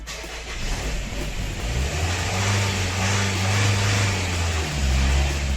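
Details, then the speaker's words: Nissan Murano Z51 2.5 common-rail diesel started cold after glow plugs: it runs unevenly and is kept alive by throttle blips, with revs rising and sagging. It stalls when the throttle is released but idles fine after 5–7 minutes of warming. "газую Все працює тільки кидаю газ двигун глохне"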